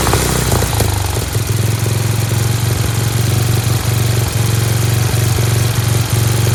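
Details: Dayton lawn tractor's 11 hp Briggs single-cylinder, started on its own with choke, strong steady low drone idling a bit high with a spring disconnected, no misses or knocks; running healthy.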